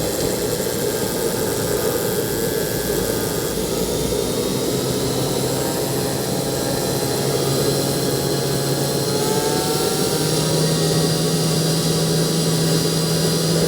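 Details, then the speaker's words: KJ-66 model jet turbine on a homemade test bench with Arduino/ESP32 ECU, after a troubled service and rebuilt fuel lines, around 300°: steady high roar with a whistle rising slightly in pitch, no rubbing or rattle; normal running. "ups das hört sich schon mal sehr gut an"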